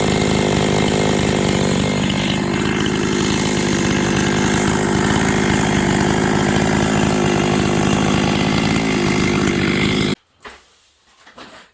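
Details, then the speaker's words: Husqvarna 266XP chainsaw after top-end rebuild, first run: steady idle, then throttle blip rises slowly and lazily off the bottom; final carburettor settings not yet done. "flipping the throttle you guys can hear it's a little lazy off the bottom I haven't done my final carb settings yet"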